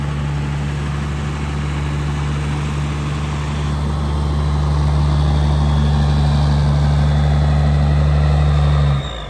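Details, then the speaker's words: Roadkill ramp truck Cummins 5.9 12-valve diesel after upgrades (ported head, new injectors, HX35 60mm turbo), first start cold; deep steady idle about four pulses a second with slight lump, less smoke than before, sounds like it has a cam; normal idle. "yes sounds like it's got a cam in it"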